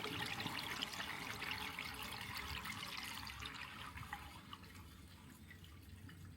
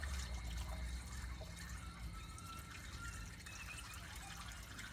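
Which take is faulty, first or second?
second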